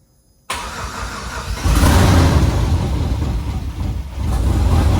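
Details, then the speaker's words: Truck engine first start, with starter and fuel pump relay jumped due to wiring issues, no oil pressure shown on gauge: brief crank, catches and settles into steady low rumble with slight rev, sounds good; normal start and run. "not entirely surprising it sounds good though yeah it does"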